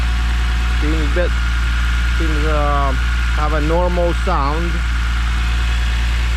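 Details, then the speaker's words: E46 BMW M3 first start after a failed CSL airbox dropped pieces into a cylinder, redesigned airbox fitted: steady even low idle, no odd valvetrain noise heard, no ticking or knocking; healthy idle. "all right it's running it's running so far uh nothing uh OD I'm hearing valve TR valve train seems [Music]"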